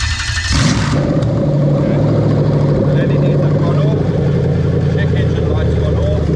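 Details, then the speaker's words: Toyota 3UZ V8 from a 2000–2003 LS430 running on a newly built right-hand-drive manual wiring harness, started on 12 volts: quick crank, then a steady, even idle with no knocks or misses; normal start and idle. "right okay so nice and simple black with the yellow tracer we're just going to give it 12 volts and she's going to start up"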